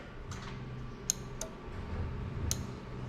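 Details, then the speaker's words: Toyota Soarer/SC400 1991-94, bench test of a new automatic gearbox harness with the fuel pump disconnected; a few sharp, dry, irregular clicks as the starter relay pulls in, showing it is controlled through the gear selector. "You can also hear the starter relay clicking, so obviously it is controlled there."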